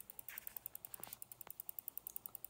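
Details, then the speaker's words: EVGA 800W BW ATX power supply fan: sharp, even clicking about ten a second when pointed upward, stopping when inverted, caused by a plastic molding burr catching on the stator. "i don't know if you can hear that but that is very annoying this seems to be orientation dependent if you've got the fan pointed upwards it clicks but if we pick this thing up turn it upside down seems to stop interesting"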